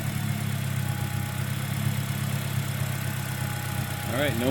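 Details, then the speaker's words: 2009 Pontiac Vibe 1.8L after new alternator and new belt: steady even running note with a small lift in speed near the end, no squeal or screech; former alternator screaming gone, belt drive healthy. "no more violent screaming noise. So it's not screeching and screaming at me anymore, which is pretty awesome."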